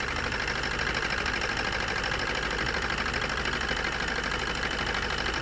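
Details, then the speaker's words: Maruti Suzuki new Swift diesel with abnormal vibration and low power, idling during an injector disconnect test: uneven lumpy idle with a regular shake of about two beats a second. Injector 1 shows no response; the engine stalls when injector 2 is pulled. Misfire with two cylinders dead. "രണ്ടാമത്തെ ഊരിയപ്പോഴേക്കും ആണ് of ആയിപ്പോയി അപ്പൊ ഈ injector working ആണ് ഈ injector respond ചെയ്യുന്നുണ്ടായില്ല"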